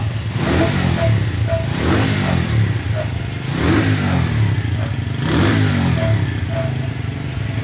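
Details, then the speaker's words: Moby four-stroke moped with two-stroke fairings fitted: engine surges up and down every second or so and won't settle to a steady low idle; idling too high. "Rapaziada bagulho é da hora mano ela tá ficando acelerada você não vai deixa deixa na lenta deixando a gente ela tá pela acelerada"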